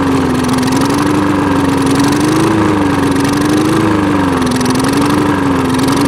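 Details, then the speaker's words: Old push mower after clearing a clogged air filter: engine speed rises and falls in a slow wave about every 1.5 seconds; hunting idle from a dirty carburetor needing cleaning. "all right guys so uh this thing definitely needs some carb work um as you can hear you see it was running uh revving up and down so there's definitely uh something going on there in the carburetor"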